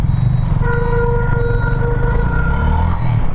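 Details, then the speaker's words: TVS Apache RTR 200 4V exhaust noise problem, after 80-rupee fix instead of replacing silencer, riding at about 50: even exhaust drone with steady tone, no pops or crackles; exhaust now clean. "अब गाड़ी में 1 number की आवाज़ आ रही है, बिल्कुल noise नहीं है, कितना भी भगाओ, नो फट नो फट।"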